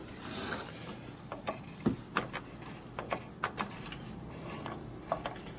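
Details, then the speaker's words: Barn-find 1965 Harley-Davidson 74ci Panhead 4-speed transmission, rusty inside, shaft turned by hand: irregular clicks and gritty clacks from rough rusty bearings; needs countershaft and new rollers. "so this one good issues with the bearings you can hear it"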